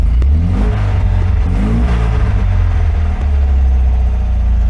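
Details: 1980 MGB after service, warming up, intake cleaner sprayed in, some smoke possibly from added oil: deep, strong exhaust note climbing cleanly on each throttle blip and settling evenly; running smooth.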